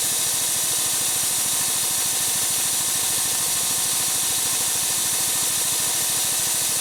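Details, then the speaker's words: Harbor Freight air compressor with a newly installed replacement pump, auto-started by its pressure switch: at cut-out the unloader vents with a steady loud hiss over fast chugging, normal unloading. "up so as you can hear it it kicked in automatically I didn't touch it going to it's about to uh kick back uh it's actually the unloader is going to start unloading now"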